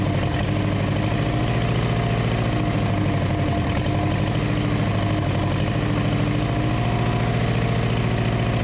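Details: 1934 Ford chassis with 1960s Buick Nailhead V8, first run in about 40 years, fuel poured in because the accelerator pump isn't working: deep, steady idle with a low even burble, no ticking or knocking. Normal idle.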